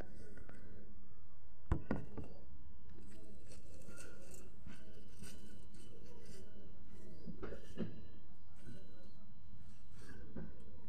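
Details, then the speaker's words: Renault Megane, engine on with power steering working, tie rod ends already replaced: a few dull, isolated clunks as the wheel reaches full lock, mostly turning right, sometimes left; steering clunk at full lock, cause unclear. "وقتها في اخر لحظة يعني تعمل تقربيع وقوية، هي خاصة في الخرجة معناها في الشيلة اليمين، الأكثرية هي في الشيلة اليمين، يعني تصير تدور الفولون على اليمين الكل، حتى على اليسار ساعات زادة تصير تقربيعة هذي."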